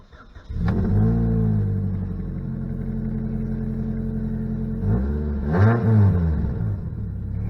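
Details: 2006 Saturn Ion Redline, 116,602 miles, started and idling: deep raspy rumble swelling with throttle blips, far louder than stock, from a major exhaust leak.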